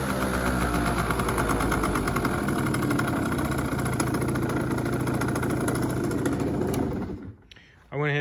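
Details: Yamaha Zuma 50 two-stroke scooter, about 80 miles since purchase, after new belt and air filter, idling: steady even idle with light regular buzzing rattle; starter clutch noise audible only at idle, electric starter not working.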